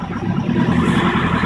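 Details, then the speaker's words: 2011 Nissan Patrol ST 3.0L turbo-diesel, 97,303 km, just started with the engine warm feature raising revs to warm it faster: an even diesel clatter held at a slightly raised, steady speed, no knocks or misses, a healthy fast idle. "you can hear there that it picks up your revs just to warm the engine a bit quicker."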